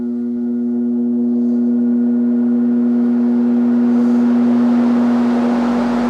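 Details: 1969 Sears (Vernco) box fan, 3.7 A 1/12 HP motor, on high in exhaust direction: a smooth, steady hum that swells slightly and holds, with no rubbing or rattle. Normal running.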